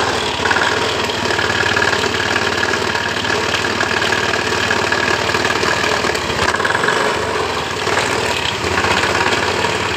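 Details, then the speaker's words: Honda Beat eSP scooter, heavily loaded and rarely serviced: idling with a coarse, rough clatter from the CVT case over the engine note; worn variator rollers and roller housing. "dengan keluhan pemiliknya suara kasar di bagian bak cvt-nya"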